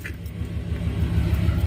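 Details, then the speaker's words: Lifted pickup truck: low throbbing rumble from underneath at slow speed, swelling as it rolls; underbody/driveline noise. "Customer states we have a noise coming from under the vehicle at slower speeds."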